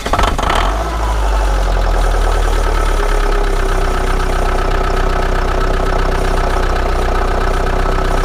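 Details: Old Chrysler Voyager diesel at -17°C (feels like -27), suspected seized glow plugs, started using ether: the engine catches and settles into a loud, uneven clatter with irregular knocks at cold idle.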